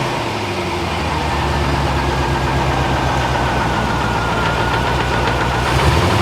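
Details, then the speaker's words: Barn-find C4 Corvette ZR-1 after an ECM repair, battery confirmed tight: an irregular, slightly lumpy idle of about three beats a second, not as smooth as before; it seems the same fault as before, cause unconfirmed. "that's not as smooth as it was no definitely not"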